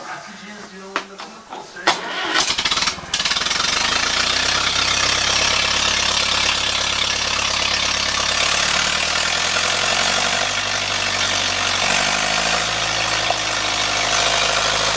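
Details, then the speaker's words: Ferguson TEA 2080 petrol tractor starts and idles unevenly, with deep pops coming back through the air cleaner, mostly near the end. The owner suspects the carburettor or governor setup; not confirmed. "Yeah, I just want to start this up and see if anybody's got any comments on this popping sound that I get. Sounds like it's coming up through the air filter."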